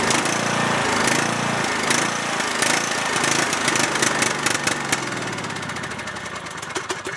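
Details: Cub Cadet lawn tractor, single-cylinder Kohler Courage engine, runs about 30 seconds then struggles: uneven chugging with irregular firing, note sagging and fading as if starving; stalls, dirty carburetor or bad gas suspected.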